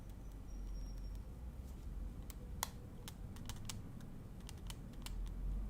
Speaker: Here, when you touch the both end, right? Here you can hear the ticking on the left.